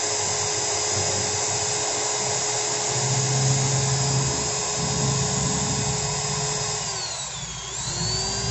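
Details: Ryota 2010VR 10mm drill fitted with a used Makita 6412 armature (MT60-type substitute) after large brush sparking: constant high-pitched whine dipping briefly as trigger eases, then recovering smoothly; only slight normal sparking, healthy motor.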